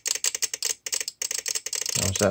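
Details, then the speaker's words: VXT-24 steam boiler water feeder with water dripped on the manual feed switch to simulate the fault: rapid, uneven dry relay clicking in bursts of several per second; the shorted switch powers the feed valve and floods the boiler. "like that reactor is going super critical so that's sending power to these leads here which is then causing the valve to open up and um flood the boiler"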